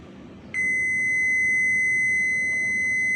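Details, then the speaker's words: Makita 9553B angle grinder, dead from worn carbon brushes: multimeter continuity test end to end on a power cord wire gives one clean high steady beep for nearly three seconds; the wire is intact. "Hai dan kita coba satu persatu ya di sini ada dua kabel dan kita tes dari ujung ke ujung kabel ya"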